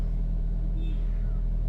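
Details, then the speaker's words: Hyundai Getz after replacing IACV and TPS (mechanic diagnosed them for RPM surging high on restart): restarted engine settles at about 1,200 rpm, a smooth, steady low hum with no hunting, misses or knocks; normal idle. "So normally pagkaka-start niya nasa 1.2."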